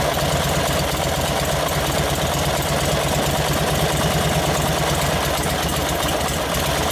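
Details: 1952 Harley-Davidson 74ci panhead with freshly rebuilt top end and rebuilt Linkert carb, apparently on full choke: constant throaty V-twin idle, ragged uneven edge and some hiss, sounding lean and needing a richer jet.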